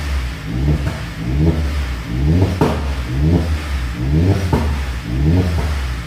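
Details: Rebuilt Astra VXR first fire-up after rebuild: repeated throttle blips about one a second rise cleanly and fall back smoothly with no knock or clatter; a tiny drip is seen, possibly a loose seal or the baffle sump. Normal revving.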